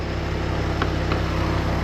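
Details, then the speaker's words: Chevy 250 inline six, warming up with timing set at about 4°: steady low rumble with an even pulse and no knocks or ticks at about 680 rpm, vacuum around 17; normal healthy idle. "yeah about 680 that's fine all right I don't think there's really anything else to show vacuum around 17"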